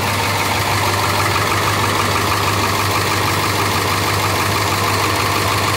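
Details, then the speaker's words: International T444E diesel in a rear-engine bus, started from rear ignition, idling loud with sharp puffing tick on each firing pulse from several exhaust leaks on both sides; possible problem in one cylinder suspected. "Okay, so as you saw, there's a few exhaust leaks on this side. There's also one over here."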